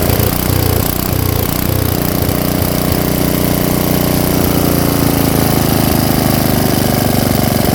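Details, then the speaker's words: Tecumseh engine on an Ariens Jet rototiller idling after the low-speed carburetor screw was turned fully in and backed out one turn; steady single-cylinder thump at about three beats a second, no hunting or stalling. "so I think that's good"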